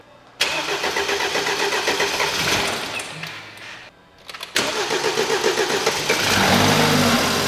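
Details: BMW F30 328i with N20 engine, bought not running after losing timing, now after an engine and timing restoration: rhythmic cranking fades out, then a second try fires and settles into a steady idle; white smoke out the back; engine cranking and starting.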